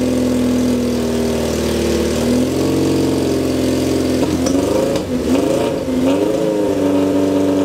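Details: 1978 Kawasaki KZ650 C four-cylinder, first start after at least 5 years unrun, on a temporary fuel supply with vacuum pipe blocked: loud, busy idle with throttle blips rising and settling cleanly while warming up; normal, just a noisy exhaust.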